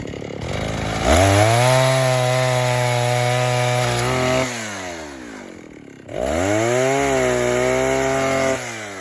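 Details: Vintage 1960s Stihl 08S chainsaw, close to 60 cc, with chain brake, cutting dead ash firewood: strong even two-stroke scream under the cut, dropping cleanly and rising again on the next pass; smooth, steady, runs good, normal running.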